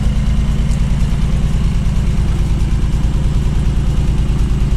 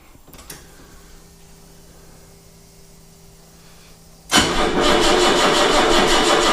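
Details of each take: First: 1979 BMW 633CSi back on the road after 5 years, X-pipe near-straight exhaust: deep, even exhaust pulse with steady rhythm, no misfire or knock; healthy normal idle. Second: 1979 BMW 633CSi, sat four to five years, battery being charged: starter churns with even pulses for several seconds, engine never catches; crank no start, flat battery.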